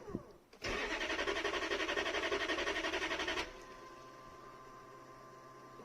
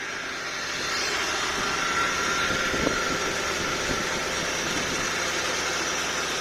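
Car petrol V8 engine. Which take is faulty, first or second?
first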